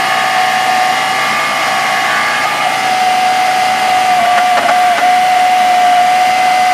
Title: Grinding noise coming from engine